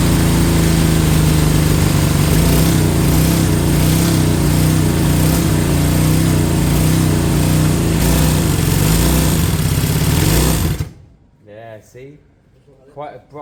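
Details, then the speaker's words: Honda CB200 twin, fuel on and float bowls full: steady fast even idle for ten seconds then abruptly cuts out; stalls after idling, overfueling suspected but cause unclear. "I'll control the the throttle and then it abruptly stops let's see if we can uh see if that happens happens if it doesn't and I get four five 6 minutes out of an idle then we know where we're looking good"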